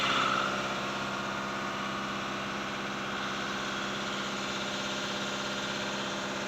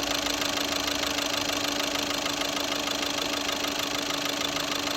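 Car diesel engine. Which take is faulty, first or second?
second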